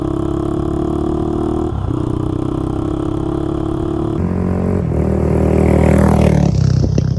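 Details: Honda 400EX single-cylinder ATV after crankshaft replacement for a locked-up engine, test ride through the gears under load; raspy, chuffing edge each firing pulse from a broken exhaust header leaking pretty badly; new header needed.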